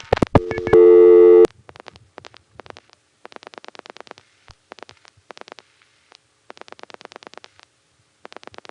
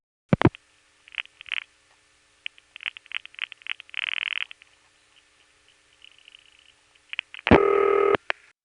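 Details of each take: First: 1975–77 Gotham Tandem exchange, call to Wadsworth 3 panel office: a loud steady tone cuts off, then bursts of fast even revertive pulsing as a direct-trunk failure, possibly a trunk flash, makes Gotham reroute via Amsterdam Tandem. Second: You have the normal five-digit sequence here, but before it there are two other revertive digits. And after that, there's a long pause. And then finally, Gotham cuts through and the panel rings.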